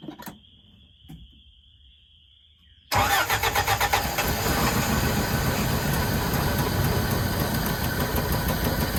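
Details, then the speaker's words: 1981 Toyota 4x4 pickup sitting since 2008: starter spins, engine catches into a steady, slightly lumpy run only on fuel/starter fluid poured in; fuel line not connected, fuel pump condition unknown; no fuel supply. "Now I just got to get the fuel line hooked up to something that'll feed it. Who knows if the fuel pump's even functioning right, but I call that a whim."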